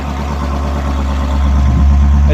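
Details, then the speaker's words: Rover SD1 3500SE V8 after gearbox conversion, no silencer: deep, loud, steady rumble with even beat, no knocks or misses; normal idle, just loud. "well that's not a silencer so it's not going to sound much quieter than that yeah it sounds pretty good actually"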